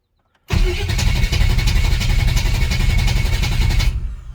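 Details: Chevy S10 with 355 small-block V8 after head gasket and roller lifter replacement, battery charged: starter spins engine steadily about three seconds with no firing; cranks but won't start, starting fluid ruled out fuel, no spark suspected.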